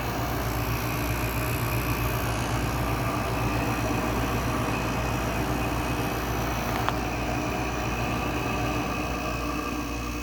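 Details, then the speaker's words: Window air conditioner compressor, low on refrigerant charge, just after startup having sat a while: steady low rough drone with an uneven rattle; lubrication issue suspected. Rough compressor noise at startup. "Yeah, I think it's got a lubrication issue. That's what that sounds for. I'm pretty sure that is pointing to a lubrication issue."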